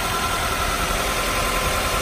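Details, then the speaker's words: Honda CR-V, 216,000 miles, over 2 years on the oil: steady even idle with light mechanical whir, no knocks or ticks, just after a cold start; should get quieter as RPM drops. "Pretty quiet. That's a cold start too, so it'll actually even get quieter as the RPMs drop."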